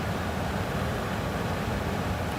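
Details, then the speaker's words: Old ICP gas furnace with failed fan timer board, blower temporarily jumpered by sistering a wire onto the transformer wire with a double spade connector to run heat: smooth, constant airy rumble, no rattles, scraping or squeal; blower motor runs steadily. "So I just sistered along with the transformer wire. And I'm going to move the cooling speed wire out of the way there and stick this on there. And there comes our fan."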